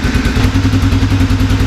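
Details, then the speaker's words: 1987 Honda FourTrax ATV single-cylinder after carburetor and choke repair, first start, cold: even putter at roughly twelve firings a second, steady and smooth idle. "I'm going to give it a minute to run let the Eng can get warm a little bit just see if anything kind of wanders"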